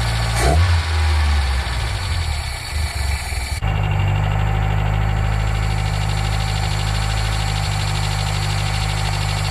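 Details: Nissan Micra K10 after the carburetor auto choke was repaired, cold start: cranks, catches at once and settles into a firm, steady high idle with an even beat, running cleanly on fast idle while warming up.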